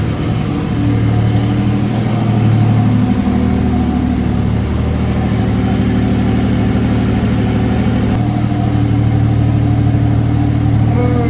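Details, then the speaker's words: Mercedes W203 with turbocharged M104 engine, after swapping the 440cc injectors back to original M104 injectors; the problem is believed to be in the injector/fuel setup, possibly low fuel pressure. Even, steady idle and a clean rev blip with no misfire: normal running. "yeah the engine runs a lot smoother with the m104 regional injectors in there so we definitely know the issue is somewhere in there"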